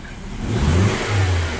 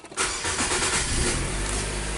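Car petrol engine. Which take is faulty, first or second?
first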